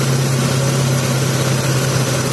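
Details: Taruna EFI petrol engine, which came in hesitating and lacking power, idling low, steady and even with no knocks or misses after a tune-up and idle screw adjustment.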